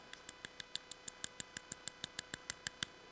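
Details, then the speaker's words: 1959 Ford F100, 302ci 5.0L V8, 650cfm carb, C4 transmission, odometer 96,000 probably about 196,000, idling: light metallic tick about six a second, like two quarters hit together; valve train lifter tick. "lifter tick. You hear that? I don't know if that's coming through on the mic, but the motor is making uh a sound like if you took two quarters and you kind of hit them against each other uh here or just some metal."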